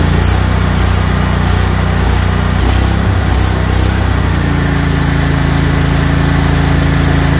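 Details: Craftsman GT riding mower (model 917.258873) with 18.5 hp Kohler CV18S 624cc V-twin, after carburetor replacement (long a hard starter), air filter off, jumper pack on low battery: small twin runs steady and even with a buzzy drone, no surging or stumbling; normal running.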